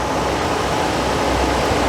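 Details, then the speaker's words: Suburban RV furnace, reported not igniting, cleaned and reassembled with a new gasket, bench test-fired on a battery: steady even roar of blower and flame with no popping or surging; burner lights and burns normally, fix unconfirmed. "Looks good. Can you hear it? Can you hear it burning?"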